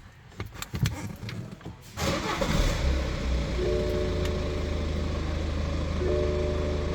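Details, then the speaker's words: BMW X3 starting just after an ECU remap with Flex and a DTC clear: it cranks, catches quickly and settles into a steady, smooth idle with no stumble and no warning lights. "Starting, no lights on. Let's go for a drive."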